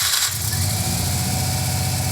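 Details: Subaru WRX-turbo-converted car at first start after the conversion, in neutral: lumpy, uneven idle with a stumbling beat, sounding like three cylinders; misfire at idle, suspected coil or coil plug.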